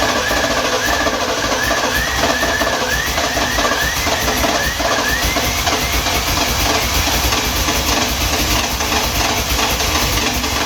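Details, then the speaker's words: 1971 Lincoln Continental Mark III after 40+ years dormant, brand-new starter, timing not yet set: steady cranking drone with wavering, chirping whine coming and going; starter acting up, possibly hot. "starter motor is acting up I know you guys can hear that"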